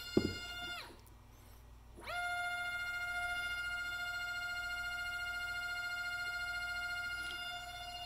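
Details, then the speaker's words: NEMA 24 5 A stepper on a Stepperonline CL57Y closed-loop driver, bench tested with Centroid Acorn and slowed to 1,200 rpm. Pure steady whine settles after a brief drop, holds even pitch, no roughness or stutter: passes, normal running. "if you want to hear the motor that's what it sounds like hopefully you can hear it so that's I'll call that a pass"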